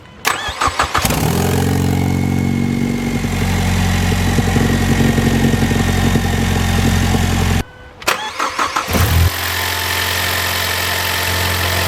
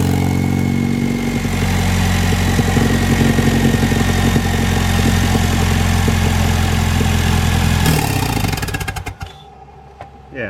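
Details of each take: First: Ford Mustang 2.3L turbo started after replacing downpipe exhaust gasket: catches quickly, flares briefly, then settles to a smooth, even idle with no exhaust leak ticking. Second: Ford Mustang 2.3L turbo idling with missing gasket between turbo and downpipe flange (soot visible, check engine lights): even idle with quick sharp puffing tick over exhaust note until shutoff; exhaust leak at turbo downpipe flange, before gasket install.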